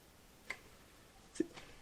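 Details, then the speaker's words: 1998 Jaguar XKR supercharged engine, belts and tensioners being replaced: idler pulley turned by hand gives a few soft, uneven ticks from a worn, noisy bearing. "I believe I can bring you guys in for a closer view there is that one's actually kind of noisy can you hear"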